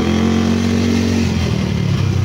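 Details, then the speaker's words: Yamaha Mio scooter (liquid-cooled, 4-valve, owner says 232cc) after a full reset/refresh: smooth steady drone with no tapping or rattle as revs hold and ease off. No smoke, no noise; normal running. "Ayos na, wala na rin usok. Wala rin yung ingay."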